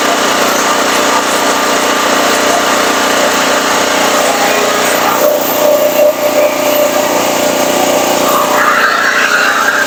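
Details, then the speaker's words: Firman 3650 W (4550 W surge) generator bought at a yard sale, with old gas and the choke on, on its first pull. The small engine buzzes steadily at high speed with an even note and no knocks or misses, running normally on choke. "our throttle is not stuck so we're gonna give it a pull choke is on"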